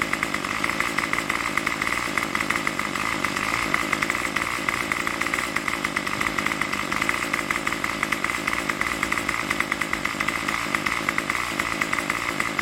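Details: Craftsman Weedwacker trimmer 316.791191 after repair (MTD 27cc two-stroke, Zama carb): high buzzy note holds a steady fast idle without choke, about 2600–2700 rpm on the tach, with even firing and no misses. Runs healthy.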